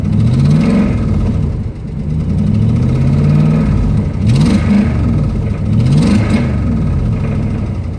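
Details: 2005 Ram Hemi V8 revving up and down: dull, irregular knock riding underneath the revs; rod knock, worn connecting-rod bearing.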